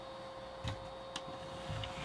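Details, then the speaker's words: PlayStation 2 Fat from a for-parts lot with a broken disc drive assembly, after the disc tray was reseated, reading a blue PS2 disc: a faint hum with soft laser-seek clicks and no grinding. Normal disc read after repair. "all right and looks like the blue discs are working as well so that's good news"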